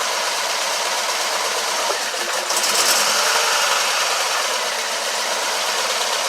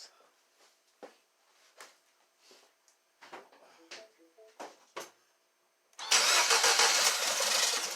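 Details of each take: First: 2012 Mini Cooper Countryman with P0304/P0300 codes, after bottom-end rebuild for damaged cylinder 4 piston: rough loping idle stumbling about three times a second from misfire; cause found to be disconnected cylinder 1 fuel injector, later reconnected. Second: 2012 Mini Cooper Countryman after bottom-end rebuild for P0304/P0300 misfire, restarted after reconnecting unplugged number one injector: light clicks, quick catch, then even steady idle with no stumble or misfire despite an oil leak; normal idle.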